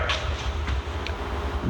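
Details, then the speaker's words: Polaris XCR 800 triple snowmobile engine torn down, crank turned slowly by hand: gritty, uneven low rumble with scattered clicks, one bearing much louder than the others; rough crankshaft main bearing, not good. "so let's listen oh there's always got to be that one that's a lot louder than the other ones"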